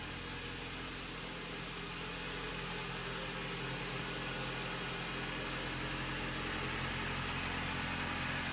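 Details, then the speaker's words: 2011 Jeep Patriot 2.4 L with T355 manual transmission, checked for a strange noise suspected from input and countershaft bearings, idling while warming up for about five minutes: smooth, even engine hum with no whine or growl, sounding normal. "I'm not hearing anything just the sound of that engine purring away"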